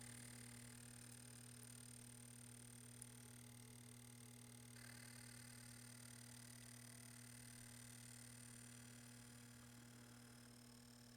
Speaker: i hear it chattering fuses seem to be okay yeah it sounds good definitely hear it chattering no fuse blowage